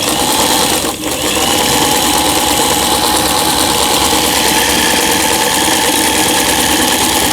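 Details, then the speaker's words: 2003 Janome-made Lion Tulip (639) mechanical sewing machine, after repair of feed regulating cam fault and LED lamp swap: quick even needle clatter with steady light whir, no knocks or binding; straight, zigzag, quilting and three-step stitches all normal. "1, 2, 3, 10번의 넓은 바느질, 중간 바느질, 촘촘한 바느질, 지그잭 바느질, 누빔 바느질, 그 다음에 세발뜨기 바느질, 각종 기능들 정상적으로 박음질이 잘 되고 있습니다."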